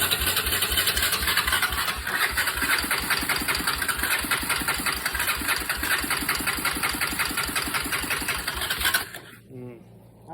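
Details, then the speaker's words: Barn-find single-cylinder ATV with sprayed air filter idles with a sharp, rapid top-end ticking keeping time with the engine; owner suspected cam chain or valves, valves found extremely loose and then adjusted. "something really don't sound right in the top end the cam Chain's loose or something it does run it doesn't sound good though all right so that is uh either cam chain or valves"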